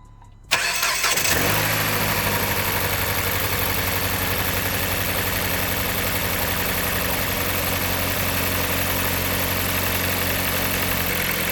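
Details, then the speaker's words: Project car bought cheap off Marketplace, idling after oil change, new coil pack and spark plugs: catches quickly, then lumpy uneven idle with loose irregular knock; still sounds horrible, cause unconfirmed, replacement engine being sourced. "Okay, so the oil change is done, coil pack's done, spark plugs are done. It still sounds horrible."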